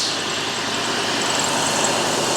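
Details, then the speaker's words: 2004 Cadillac DeVille Northstar V8 started first try on an ATGFOX 8250A jump starter without the boost button: smooth, even idle with a soft hiss, no misses, ticks or knocks. "And the car started right up on the first shot."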